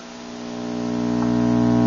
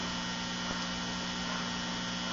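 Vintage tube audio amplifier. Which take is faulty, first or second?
first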